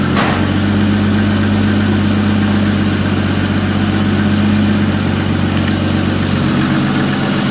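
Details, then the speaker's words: Toyota Mark III Supra, which was running rich with possible misfire, started after spark plug change and reassembly: even low drone holding steady after start-up, no misses, stumbles or knocks; normal idle. "Alright, so it appears to be running fine."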